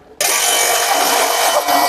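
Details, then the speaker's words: Modified 2-inch J500 water pump, primed and starting: loud harsh hissing rasp and thin whine because the removable fan cover's screen is catching on the motor cooling fan, not a pump motor fault. "Ini suaranya bising itu karena ditutupnya itu, ditutup kipas itu, saringannya itu nyangkut sama kipasnya."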